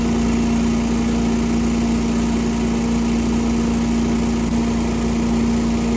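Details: Small gasoline engine after winterization with fuel stabilizer and fogging oil, restarted: smooth, constant full-throttle hum with steady pitch and no misses or rattles; only a brief smoke pop at start from fogging oil burning out; running cleanly.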